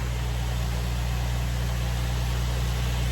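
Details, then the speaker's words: 2004 Nissan 350Z just after fitting new OEM-spec fuel pump, cam and crank sensors: smooth, even low engine note with steady rhythm, no misses or knocks; normal running. "she's running. Right, so that's that dealt with."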